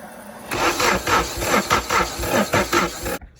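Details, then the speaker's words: K-swapped Honda EF/CRX turbo engine build: starter turns it over about four times a second with no firing; no spark, no-start traced to the missing main relay. "yeah what can it be I think I'm not getting any Spark"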